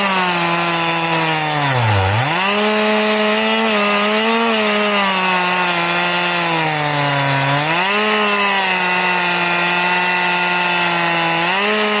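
Steady saw tone dipping hard under each push into the wood, recovering slowly; a chain filed at ten degrees cuts smooth but very slow.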